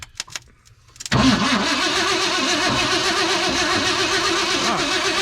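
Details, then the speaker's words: 1967/68 Ford F100 Ranger sitting about 10 years, first start attempt outdoors: starter churns steadily about four times a second with no firing; ignition points not separating, so no spark. "keep doing it i don't think it's even points or even separate"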